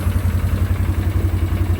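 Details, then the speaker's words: 2009 Arctic Cat 1000 quad, not run in a while, slow initial crank: lumpy, uneven idle, seemingly on one cylinder then both; intermittent misfire, owner unsure whether low battery voltage, weak starter or bad solenoid. "It's like sometimes it runs out one cylinder, sometimes it runs on two. All right, so you seen when I started it, it was kind of sporadic."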